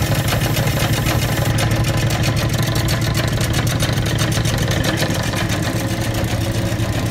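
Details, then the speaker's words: Old Bennett 541 gas pump motor, running after many years of barn storage: constant deep drone at steady speed, level and smooth, with no ticking or grinding. Normal running. "just to fire one of these off and here at run after all those years of sitting is a thrill for me it's like pulling an old tractor or an old car out of the barn and engine is seized up but you free it up and you get it running"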